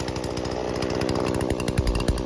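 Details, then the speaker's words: Husqvarna 120 Mark II chainsaw during carburetor tuning: the idle screw is turned in, giving a fast, even two-stroke buzz at a raised idle with the chain starting to creep. "like that now what that'll do is just it'll keep your saw high idle uh it won't stall out as as quick"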